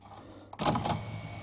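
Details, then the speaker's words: Memorex CD 5400 CD player, top off: short motor whir and soft mechanical rattle as tray runs full travel, hooks across and latches so the tray assembly goes fully back without catching; normal CD tray operation. "it goes and then it comes back and it hooks across into there automatically which allows then the whole tray mechan assembly to go back as far as it wants to go"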